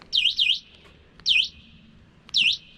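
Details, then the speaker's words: FlyEbike RZ e-bike, stock: its built-in alarm sounds through the Bluetooth speaker inside the frame. Three bursts of high warbling chirps, of modest quality; normal alarm siren. "But the alarm siren is this Bluetooth speaker. So not super great quality, but I mean, for a free Bluetooth speaker on board, hey, can't complain."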